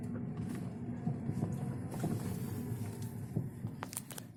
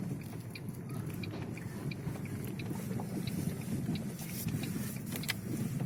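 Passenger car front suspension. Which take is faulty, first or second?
first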